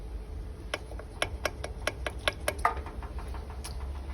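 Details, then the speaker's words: 2016 Jaguar F-Pace, just out of warranty: loose, irregular clacks as the removed turbocharger shaft is rocked by hand, excessive end play; thrust bearing failure confirmed, turbo to be replaced. "i've removed the turbo charger as this was the suspected issue been able to confirm that the thrust bearing has failed inside the"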